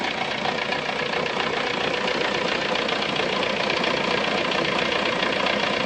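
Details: VW Golf 3 petrol engine at idle with a fast, fairly regular ticking on top, about four per second; abnormal engine noise, cause unclear.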